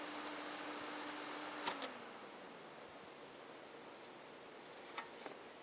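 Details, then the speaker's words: Cooler Master Elite 120 PC with CPU fan unplugged: a tone drops away after a click, leaving a faint soft airy hush with handling ticks; the remaining fans run quietly. "now if I unplug the CPU fan you could get an idea how quiet it actually is"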